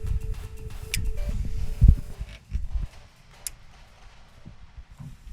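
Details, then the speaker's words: Nissan Navara D40 with 52-inch LED lightbar wired through an ON-OFF-ON rocker switch: a couple of sharp isolated relay clicks, one each time the switch is thrown, over handling noise; relay pulling in properly. "You hear that relay clicking? Yes. Yeah, it's definitely that clicking."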